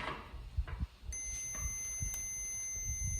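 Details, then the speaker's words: Multimeter continuity test on a brand-new fuel level sender for an '84 Bronco, which pegs the gauge once installed: probe scrapes, then a steady unbroken high beep showing the sender terminal shorted to ground. "Ground it out. I'm not sure why, but I ran into this crap before too."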